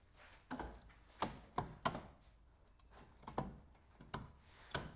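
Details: Renault Sandero front suspension while turning the steering wheel: separate dull clunks and clicks about every half second; knocking caused by failed front strut top mount bearings, fixed by replacing them.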